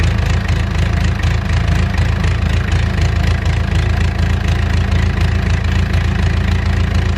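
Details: Mustang skid steer diesel after one injector cleaned and reinstalled, line bled of air: steady low clatter about three knocks a second, slightly uneven, still running rough; next injector pulled found very dirty.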